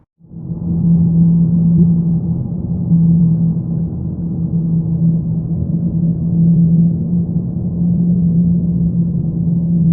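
Deep steady low drone with a constant hum underneath, no knocks or ticks; source of the drone not pinned down. Cause suspected, not confirmed.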